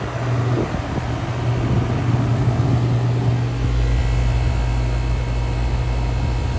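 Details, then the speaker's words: Rheem heat pump outdoor unit after replacement of a broken-apart compressor and the defrost control board, restarted after a tripped breaker was reset. Steady low compressor hum with even fan whoosh and no rattles; normal running. "let's try this [Music] again that sounds better"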